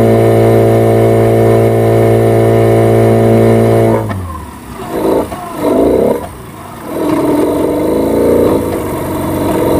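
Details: Yamaha 15 hp outboard, hard starting, sputtering and dying when throttle is raised, no power; caused by stuck piston rings and a carboned dirty exhaust.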